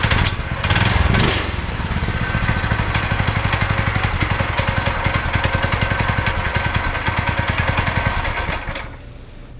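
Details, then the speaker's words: Go-kart single-cylinder engine after torque converter and belt installation, before test drive: revs up, then holds a smooth, fast, even putter with no knocks or slipping, then shuts off; normal running. "Alright, so it works, and the next thing that I gotta do is put the seat back on before I go out for a test drive."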